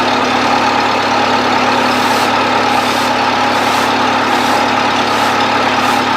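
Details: 1970s Bobcat 610 skid steer, cold start on choke: steady, even idle with constant low drone, no knocks or misses; runs good.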